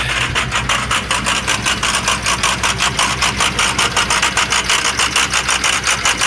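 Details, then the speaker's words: 6.0 diesel stuck in high idle, suspected bad ICP sensor, RPR fine: uneven lumpy beat about 105 thumps a minute, steady miss from a failed lifter, blow-by at dipstick; engine needs full rebuild. "so even with the icp being messed up you can hear the miss"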